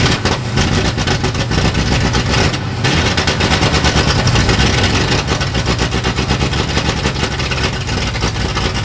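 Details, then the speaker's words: 1960s Ford Galaxie V8 project, brand-new carburetor rebuild kit, timing just advanced, put in park: catches and runs lumpy and uneven with wavering deep rumble, rich rough running; power valve suspected blown, carburetor not yet adjusted. "I think the power valve's blown out of that carburetor. It's brand new."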